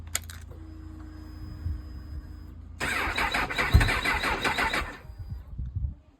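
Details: Honda CB1000R with Dynojet system, owner's phone clip of no-start after collection: quiet cranking, then it catches and runs ragged about two seconds before dying.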